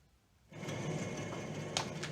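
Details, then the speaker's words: 2009 Ford Taurus rear wheel bearing, earlier sounding like gobbly tires, hub spun by hand before replacement: steady low rumbling growl with gritty hiss, not supposed to sound like that; worn, rough wheel bearing. "how's that sound even you can hear that right just in case you can't hear not supposed to sound like that"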